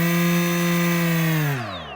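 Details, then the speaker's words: RaceCore 5040 bullnose propeller on DYS SAM GUK 2400 KV motor, delta-wing pusher: clean, steady high whine with no wobble or buzz, smooth falling tone spinning down, no humming or vibration. Balanced propeller, normal run. "this propeller is pretty balanced there's no like humming or vibrating"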